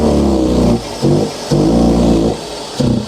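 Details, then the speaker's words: Engine smooth at idle but revved above 2,000 rpm: revs rise then sag and break up in repeated bursts, stumbling as if about to die; cause not yet known, loose air box considered. "right so it runs smooth it's all good when you try and go above 2,000"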